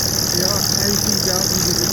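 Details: BMW E46 330Cd diesel with the original crank pulley at almost 200k miles, idling: a wavering chirping warble over the idle in a steady cycle; the worn crank pulley (harmonic balancer) has excessive play.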